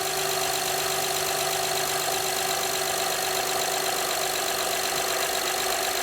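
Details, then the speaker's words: 2011 Honda Pilot 3.5L V6 just after timing belt and water pump replacement, timing covers off; steady even idle, no knocks or misses, started first try, normal idle. "okay so our engine is timed properly it started on one kick the engine sounds good"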